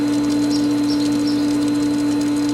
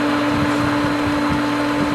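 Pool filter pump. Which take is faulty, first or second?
second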